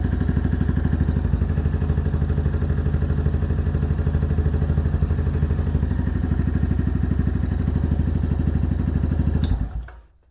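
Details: New Venom Ghost Chopper 250, idling right after its first engine oil change to circulate the oil, then shut off: an even, low thumping idle at a steady beat with no ticks or knocks; a healthy idle.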